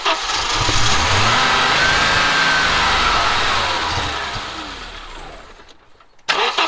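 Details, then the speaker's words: Audi 2.2 with Bosch K-Jetronic, new-old-stock injectors and water temperature switch fitted, fuel and spark present: long cranking churn catches into rough rising rev then dies; only starts with screwdriver wedged into metering unit, fuel metering suspected. "I'm right back to square one and absolutely everything I've done I've checked absolutely everything and it just won't start it'll only start when the screwdriver is wedged into the the metering unit"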